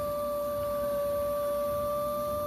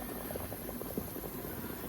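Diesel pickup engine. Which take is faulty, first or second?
second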